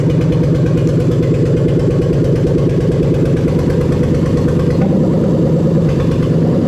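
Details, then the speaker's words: Engine with starter controlled by a Link G4X Xtreme ECU, which cuts cranking once engine speed passes 600 rpm: engine catches and settles into an even run with no starter grinding; clean start. "here so you can see we're not getting any sort of starter motor grinding or anything like that clearly because obviously the ecu is seeing 600 rpm and it's actually cutting it off"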